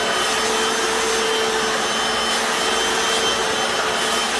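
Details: Hoover FloorMate Deluxe hard floor scrubber in wash mode on tile, vinegar-water solution: even, steady whir with a fine high whine and scrubbing hiss, no knocks or surges; normal operation.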